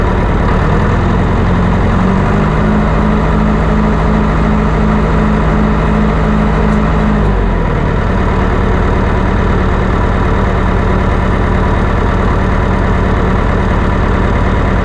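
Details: Old John Deere 401C diesel, previously running away: even idle dropping smoothly to a lower steady speed, no surging or runaway; engine now under control and can be turned on and off, some leaks remain.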